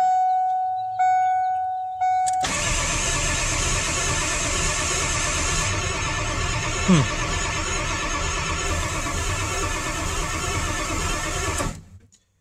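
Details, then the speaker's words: 1997 Ford F350 7.3 Power Stroke diesel that quit running, cranked after charging a weak battery for about 1.5 hours: strong, even starter churn for about nine seconds, never firing. Crank, no start; the scan tool couldn't connect to the PCM, and a fuse box issue was later found. "turns over nice but doesn't seem to uh be wanting to fire so we'll continue searching"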